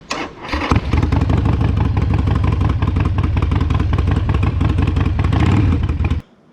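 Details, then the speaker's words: Harley-Davidson Sportster V-twin idling after a 1900-mile, four-day trip, with lumpy, uneven chuffing and sharp puffs at the front header from a slightly leaking front exhaust gasket, to be replaced. "i did have one small problem with the front exhaust gasket which i'm gonna be changing today because i had a slight leak on it"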